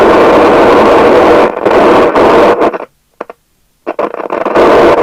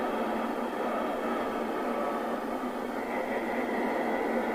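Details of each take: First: 1981 Nato 40FM UK FM CB radio, Cybernet PTBM002F chassis, loud popping audio even on PA: loud constant hiss with irregular pops and crackles dropping out and returning; ultimately the faulty LA4422 audio amplifier IC, after six electrolytics replaced. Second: 1981 Nato 40FM CB (Cybernet PTBM002F chassis) after replacing the LA4422 audio IC and six capacitors: steady, even hiss through the speaker with clean cut-off in lows and highs; receive audio working normally.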